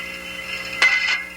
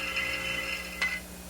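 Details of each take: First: Thermodynamic steam trap on a normal cycle: a crisp metallic click as the disc or piston opens, a steady hiss and rumbling rush while condensate passes, and another click as it closes. The trap is working normally. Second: Failed thermodynamic steam trap: a rapid, high-pitched metallic chatter of the disc or piston, ringing almost like a bell, then fading. Rapid chattering is the sign that the trap has failed.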